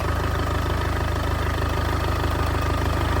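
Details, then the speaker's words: Wrecked 2014 Audi A3 saloon, listed non-runner, first start, with a hanging starter motor wire found to be the problem: steady even low idle with a smooth regular pulse, no misses, knocks or ticks; engine sounds healthy. "She runs and it sounds good as well."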